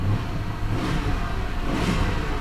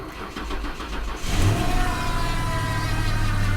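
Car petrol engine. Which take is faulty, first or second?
second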